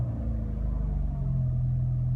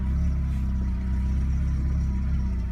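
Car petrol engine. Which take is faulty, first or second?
first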